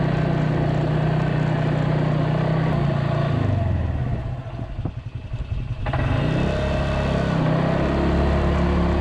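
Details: Polaris 300 Sportsman single-cylinder quad after new drive belt, rear bushing and coil: thump dips as the throttle closes, then picks back up cleanly with rain in the background; runs normally.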